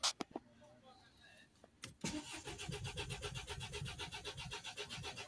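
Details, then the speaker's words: Mercedes Sprinter 2.1 diesel, crank no start with P008700 fuel pressure too low and DPF fault: clicks, then steady starter churn that never catches; live data shows zero rail pressure and no fuel reaching opened lines. "so there's no fuel oil pressure at all it's on zero I cranked the engine while I'm opening the fuel pressure rare see if we're going to get any fuel coming up there's no fuel at all"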